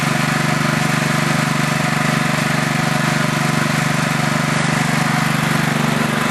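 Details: Craftsman LT4000 lawn tractor single-cylinder engine on two-year-old gas without stabilizer, carb still needs cleaning: steady running with an even light tick about three a second; engine ticking the owner thinks is the valves, not 100% sure.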